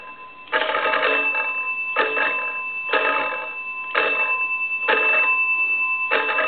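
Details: Wesco wood wall crank (magneto) telephone under repair: six even bursts of bright bell ringing, roughly one a second, each clean and strong; the crank ringer and bells are working properly.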